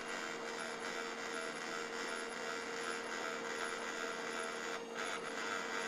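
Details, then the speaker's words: HP LaserJet 1200 printer; motor hums continuously with a soft rubbing whir, green light on, never reaching ready state. Fixed by replacing the laser unit. "всем добрый день на ремонте принтер hp laserjet 1200 с неисправностью постоянно гуллит не входит в готовность"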